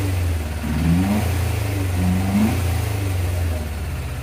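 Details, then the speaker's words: 1987 Yamaha FZR1000 Genesis after cleaning its four carbs and freeing the clutch, idle screw may need adjusting; crisp, even revs climbing and falling cleanly with the throttle, no misses: normal revving. "Oh, the old girl began has started waking up here. Now it sounds like a sport bike."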